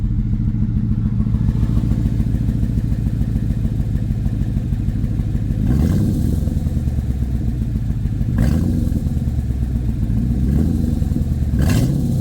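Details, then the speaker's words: Ford Mustang GT V8 after the O2 sensor wires, which were stripped and full of oil, were fixed; they had caused a choking, chopping noise and a check-engine light. Now a steady, even low rumble with a firm beat; idling smoothly. "and now it's not doing that no more it's just running smooth let you guys hear it for a little"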